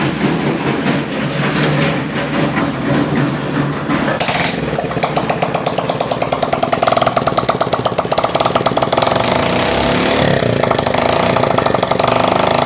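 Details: Honda CD70 motorcycle, single cylinder, that overheated and cut out, started after oil pump strainer cleared of debris, tappets adjusted and fresh oil added: even, steady putter with no tapping or knocking, running healthy.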